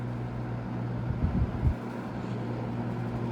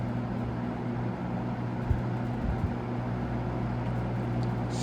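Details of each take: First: GE W22 fan after service, running on low: a steady hum with a buzzy grill rattle that stops when a hand is pressed on top. The rattle is the guard grill, not the motor, and may need grommets. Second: GE W22 fan after service, on its low speed: steady low hum with a soft even whoosh and no rattle or shading coil buzz. Normal low-speed running.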